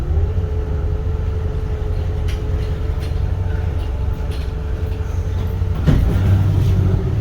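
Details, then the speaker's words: 1973 Holiday Mansion houseboat engine on its maiden voyage, backing out of the marina: a deep, even rumble with a steady mid hum and one brief thump, no ticking or stumble. The engine runs clean, normal running under way. "Stephen got the houseboat running, backing it out of the port right now. Listen, that motor runs good."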